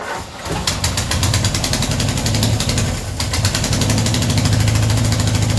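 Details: Ford Escort revived after 14 years neglected keeps running on starting spray down the carby but lumpy, with the beat stumbling irregularly and never settling; very rough running, not as well as 14 years ago.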